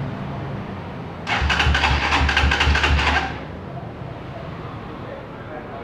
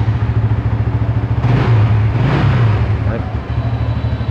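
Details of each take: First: GBX 200cc café-racer motorcycle, 14,000 on the odometer: three cranking bursts of about two seconds each, the starter spinning evenly and never catching; hard to start because the tank is out of fuel. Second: Used motorcycle, all stock, about 12,000 km: steady idle with two quick throttle blips, revs climb and drop cleanly; engine smooth and healthy.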